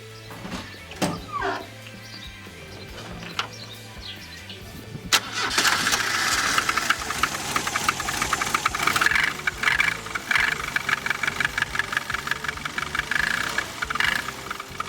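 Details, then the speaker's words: Ford Pampa engine: it cranks, catches, then idles with a quick, sharp tapping that sounds like valves but is not. The tapping comes from the carburetor, a simple fix. "Então galera estão ouvindo o barulho é um barulho meio estranho dá até impressão que é válvula que é uma coisa mais séria no motor mas não é é uma coisa simples de resolver"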